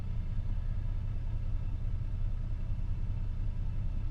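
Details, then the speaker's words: 2002 Chevy S-10 Xtreme with flashing check engine light: deep, uneven chugging rumble at idle that surges and sags, shaking like a cammed engine though stock; running rough, owner suspects injectors; slight belt-dressing squeak is not the issue. "It almost sounds like it's chugging a little bit, and it's shaking like I have a cam in it or something, which I don't, so"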